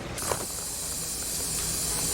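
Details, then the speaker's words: Engine under cylinder leak-down test via disassembled spark plug adapter: steady high hiss of air escaping on the muffler side, pointing to a leaking exhaust gasket. "so you can hear it from this side on the muffler side yeah so i think this is all pretty sealed wow let's just pull that off yeah i can hear the air coming through on the muffler"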